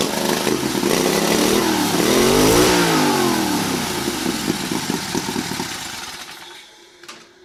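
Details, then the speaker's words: Turbocharged carbureted 670cc offroad buggy, first start on boost, no load: engine catches at once, revs climb sharply and fall back cleanly, then shuts off; crisp throttle response, no turbo flutter heard. "And I am amazed at how fast the throttle response was. A lot of the guys on the internet said it'd be sluggish, but I just don't see it."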